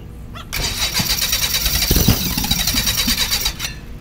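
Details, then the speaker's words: Beechcraft Musketeer engine after six months dormant, primed via carburetor and priming system with fuel confirmed at carburetor: starter cranks in steady rapid chug about three seconds without firing; small wisp of fire seen near the cowling. "I am going to give the starter a little bit of a break um I know I'm getting fued of the carburetor it just doesn't seem to want to fire"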